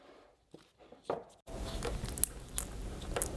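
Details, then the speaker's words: Old rear upper suspension arm removed from a BMW E60 M5 (S85), swung by hand: dry crunchy grinding from its worn ball joint, with no play yet; replaced with a new arm. "this is the old one and you can hear it grinding thankfully there's no play so that means the car wasn't going to do anything funny down the road but it probably wasn't far off"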